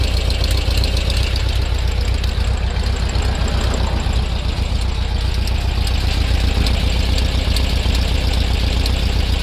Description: The bug is running so sweet, but there is an odd popping/ticking noise coming from around the rear left. Anyone?